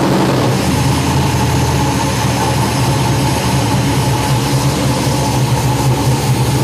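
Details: Lucas Oil Modified race car engine newly fitted with a FIRA FAST EFI system, first fired after sitting a few days, fuel pump pre-primed; strong, steady roar with an even beat, no misses or knocks, starts cleanly and runs smoothly: normal running.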